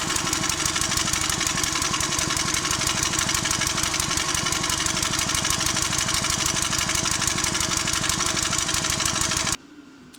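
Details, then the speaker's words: Old 20-ton Clarke log splitter, roughly 3.25–3.5 hp Briggs & Stratton that sat 10–12 years, with the original carburetor quickly refitted and no governor linkage: it pops fast and slightly unevenly at steady speed, then cuts off. It runs but is unregulated. "One of the issues is this lacks the linkage to hook the governor fin back on there. But anyways, it starts."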